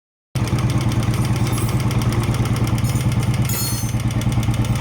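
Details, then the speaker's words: Royal Enfield engine at idle, rocker arms under the rocker covers between head and tank: even quick ticking about three times a second over a low thumping idle; normal rocker noise, quieter cold, louder when hot. "ప్రతి బండికి ఉండే నాయిస్ే ఇది cold condition లో కొంచెం తక్కువ and over heat అయినప్పుడు voile properties change అయ్యి కొంచెం ఎక్కువ నాయిస్ వస్తుంది."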